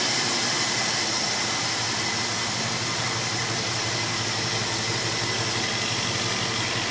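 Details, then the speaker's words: 1965 Mustang 289 V8 after new two-barrel carburetor install, steady smooth idle rumble with no misses or hunting, smells slightly rich, runs way better than before; normal idle. "sounds good smells a little Rich smells a little rich but that's what you want we want to air on the side of Rich you don't want to air on the side of lean man it runs way better than it used to"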